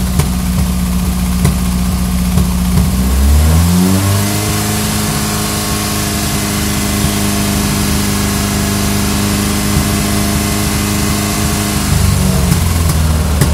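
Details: Ford Pinto engine blips and drops back to a lumpy idle with an uneven stumble in the beat; misfire at idle.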